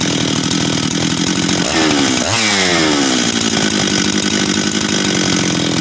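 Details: Husqvarna 385 chainsaw, first start after reassembly, first heat cycles: crisp two-stroke idle, quick clean blip up and smooth drop back to steady idle; starts and restarts easy, throttle response and idle good — normal running.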